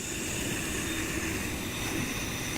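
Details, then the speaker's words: Rhino Evo motorized camera head (Arc) panning in motion mode: a steady airy hiss from the body with a faint high kettle-like whistle, worse at some positions and noticed since its first use; cause unknown. Motor hiss. "you can hear this as it's moving around and turning you just got that latent background hiss [Music] and then one sounds like a tiny little kettle inside it"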